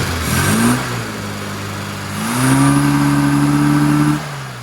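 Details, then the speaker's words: Engine idling with no vacuum connected: blips and settles with a flat, dull, lumpy note; strobe reads 41 degrees advance, ignition far over-advanced, about 30 degrees retard planned. "Okay, so just getting the strobe reading, that's idling, no vacuum connected, and we've got 41 degrees, so that's why that engine's running lumpy."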